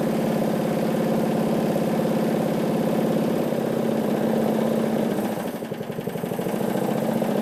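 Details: John Deere 14SE mower with Kawasaki FC150V engine, first run after refuel, no blade load: single-cylinder chugs, revs sag and surge around mid-range; engine hunting at no load, which reportedly goes away under blade load.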